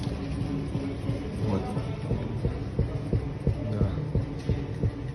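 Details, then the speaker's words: BMW on a suspension test stand that simulates a rough road, with regular dull thumps about three a second over a low hum: the rear right shock absorber is knocking. "нашли явно Сток именно амортизатор бьёт бьёт амор Да вот этот вот этот стук как раз он меня напрягает"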